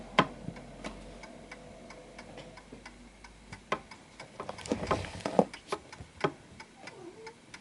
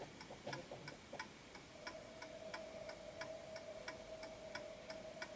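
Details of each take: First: Antique Westminster chiming pendulum clock pushed off its center of gravity: unevenly spaced tick and tock, a limping one-sided rhythm with a wobble; out of beat. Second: Antique Westminster chiming clock with silent function, after finding the center of gravity, left running about a minute: crisp, evenly spaced ticks about ninety a minute, no limping or skipped beats; in beat and running properly.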